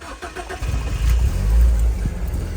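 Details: BMW E36 on its original engine, restarted after breaking down; owner believes the MAF had fallen off rather than a fuel problem: brief crank, then it catches cleanly and settles into a strong, even idle with no misfire or stumble.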